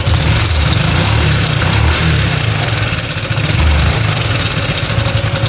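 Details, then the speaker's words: Honda Biz / Pop 100–110 small single, revving: fast, even metallic clatter over the exhaust, worse on throttle; slack cam chain slapping the tensioner, not an oil shortage. "ele é um barulho compassado vocês vê que ele dá umas estalin aquele ali é a corrente comando que tá batendo o tensor tá batendo tá"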